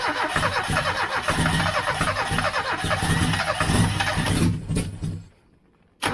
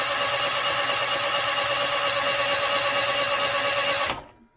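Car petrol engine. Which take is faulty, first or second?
first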